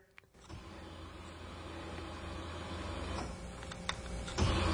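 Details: 2006 Silverado still logging P0335/P0336 after a new crankshaft sensor: fuel pump hums steadily only when the wiggled connector makes contact, an intermittent connection to be re-pinned.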